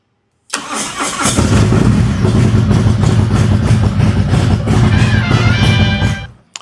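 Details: Harley with ThunderMax, first start after installing a new lithium battery (13.3 V), in neutral: short crank, then the twin fires right up into a strong, even loping idle with no stumbling; normal start.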